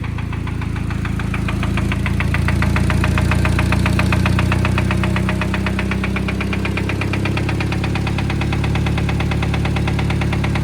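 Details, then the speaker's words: Cheap Honda Civic bought needing an engine, first power-up: steady, fairly even knocking about three and a half per second over a low idle; deep internal engine knock, cause undetermined. "definitely knocking"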